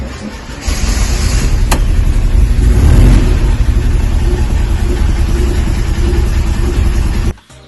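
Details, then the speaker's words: Late VW Bay Window camper, air-cooled engine, idling a little cold after a fuel pump swap: a steady low thrum, slightly lumpy. One throttle blip revs cleanly and settles back; running fine. "Obviously a little bit cold."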